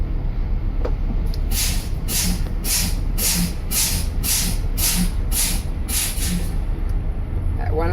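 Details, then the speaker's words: DL 4500 coach air brake test, governor cut-in check: eight or nine sharp air hisses about every half second as brakes are pumped, bleeding tank pressure below 100 psi normally. "We're going to bleed the air pressure down. The air pressure gauges right here. We're going to bleed them down below 100 pounds."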